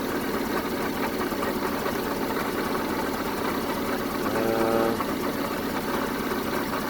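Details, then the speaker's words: 1974 Honda Civic Mk1 running a rough, uneven misfiring idle with a rapid puffing chuff from an exhaust leak at the back, during spark plug and compression testing. "I've got an exhaust leak at the back as well. I can hear exhaust leak, it's chuffing away."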